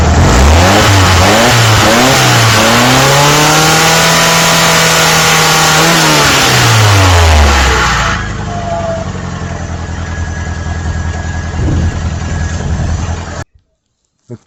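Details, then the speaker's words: Kia after tightening the exhaust header to fix a leak. The engine revs up smoothly and drops back to a quiet, even idle with no puffing or ticking. Exhaust sealed, no leak. "we don't got an exhaust leak anymore that's me run hillbilly fixing the exhaust leak on our little kia"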